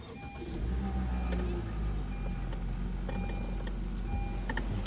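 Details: 2017 Honda HR-V engine idling with a faint steady whirring from the belt end: a worn idler pulley bearing. The owner feared internal engine damage; the fix was a new idler pulley and serpentine belt.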